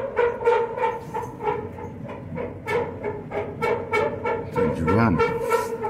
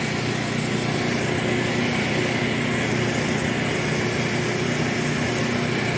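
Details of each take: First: Clothes dryer after greasing in place of new felts, quieter than before but still noisy: loud rhythmic thumping about three times a second with groaning hum as the worn drum turns; noise reportedly stops after running a while; replace drum or live with it. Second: Newly painted dryer running: smooth, constant, even hum with no thumps, squeals or scraping; very quiet, normal operation, though it is dirty inside and due for cleaning.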